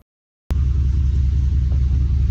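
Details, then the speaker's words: 3rd-gen Dodge diesel truck run after the fuel-injector fix (old parts puffy and cracked, rail pressure was very high): loud steady low rumble starts abruptly and holds an even beat, no knocks or misses; running healthy, though it later had shifting issues. "Right after that, I just drove it right out. I just love the way it sounds. If you could hear it in person, it's just otherworldly."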